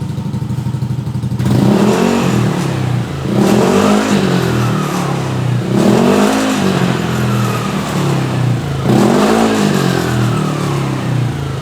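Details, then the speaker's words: Yamaha Aerox 155 Connected scooter with used Proliner Neo Silent aftermarket exhaust, blipped in four rev bursts with faint metallic clatter on each rise; internal baffle suspected loose, welding suggested as fix; exhaust baffle rattle. "Oke, menurut saya, getaran pada sekat internal terdengar jelas; Sepertinya longgar."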